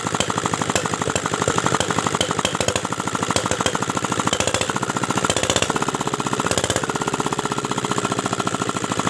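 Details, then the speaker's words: Single-cylinder R175 diesel after rebuild and injector adjustment and air bleeding: chugs with a hard, uneven knock on every beat, no steady throttle response, slight blow-by smoke from the crankcase; attributed to a worn connecting rod and piston pin. "jadi ternyata sudah tidak bisa lagi ya disetel suaranya nih sobat diesel nah ini hasilnya jadi seperti ini nih tidak enak sekali ya suaranya tidak ada gas kontannya kemudian suaranya tidak rata"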